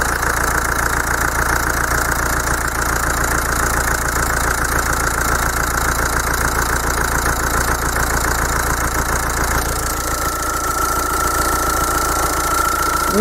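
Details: Common-rail diesel with Bosch rail pressure sensor, engine idling, sensor reading about 1.2 V and roughly 305–307 bar rail pressure, system working properly: steady even diesel clatter with no stumbles; normal idle.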